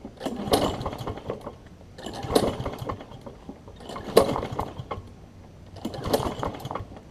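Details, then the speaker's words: Toro self-propelled mower with Kohler engine, choke on: four pull-start attempts give brief chuffs, never catch; owner thinks old gas on spark plug, later cleaned with carb cleaner to restore spark; no-start, fouled plug. "sound like it kind of wants to try so I'm going to work on a little bit more if I get it run I'll show y'all so I think there was some old gas on the spark plug"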